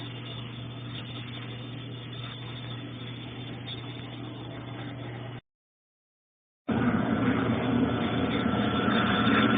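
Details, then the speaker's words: Consul Ideale 4 kg washing machine that washes but won't spin-dry: steady motor hum with a soft, uneven drum churn that never builds into a fast spin; the drum turns weakly. "Tá girando, só que ele gira com fraqueza."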